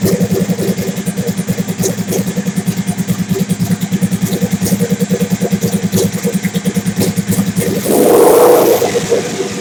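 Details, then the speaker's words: Big-turbo Suzuki TL1000R V-twin with 560cc injectors and Power Commander, during idle tuning: lumpy idle pulsing about three times a second with throttle blips near the end; owner says it is running leaner, lean idle. "so it's running leaner it is running leaner"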